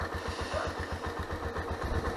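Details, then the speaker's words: Honda CBX125 Custom single-cylinder motorcycle, about 10 years owned, starts easily: idle thumps about ten times a second with a dull rumbling knock on each beat; owner fears piston trouble, or possibly timing chain or tensioner, cause unconfirmed. "но вот этот звук не знаю слышно вам или нет урока вот этот рокот конечно он меня настораживать"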